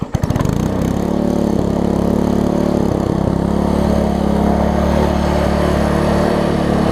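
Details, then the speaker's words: Troy-Bilt Tuffy rear-tine tiller, reassembled after fuel pump diaphragm replacement (old one cracked and dry-rotted), fresh oil: quick start, then steady single-cylinder putter at constant speed, no sputter or surge; normal running, though a worn control cable is suspected. "apart from that this thing runs good feels good and all that stuff so let me crank it up"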